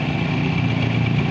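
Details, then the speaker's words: Tosa motorcycle after cleaning the dirty AIS air-injection system that caused exhaust popping on closed throttle and downhill: steady, even idle with smooth low drone, no pops or backfires; normal idle. "Sekarang, sudah aman. Tidak ada masalah sama sekali. Akselerasinya mulus, dan putaran mesin saat idle juga bagus."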